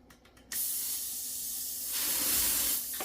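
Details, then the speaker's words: Freezer-chilled SodaStream CO2 cylinder on the fill adapter: sudden sharp steady hiss as CO2 shoots out the end of the valve; fault at the pin head, the cylinder known to have a leak there. "Okay. The CO2 is shooting out of this end. Let me show you that. You see it, right? Okay, so there's something wrong with this pin head on here."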